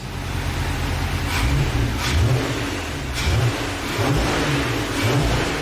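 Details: VW Passat R36 with unknown history, started on a jump pack after new rocker cover gasket: catches cleanly, then several quick blips rising and falling smoothly, no misfire or rattle; healthy start and rev.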